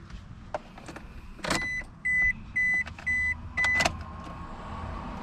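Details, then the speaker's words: 2005 Scion tC after sitting, new battery fitted: key turned gives a couple of clicks and chime beeping about twice a second but no cranking at all; starter failure. "you can see us I'm turning the car but there's no cranking sound so it must be the starter"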